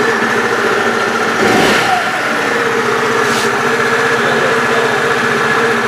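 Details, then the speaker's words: Bashan BWS scooter, cold, idling after a crankshaft repair for a worn lower connecting-rod bearing and cage: an even, steady idle with a smooth buzz and no knocking or ticking; the knock is gone. "Итак ребята Как слышали никаких посторонних звуков стуков из двигателя уже не доносится"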